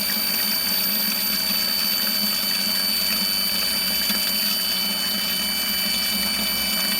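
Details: Pontiac GTO's old in-tank fuel pump bench-tested: steady electric hum under a constant rush of fuel that never drops off, higher pressure than the new pump; normal full, even flow.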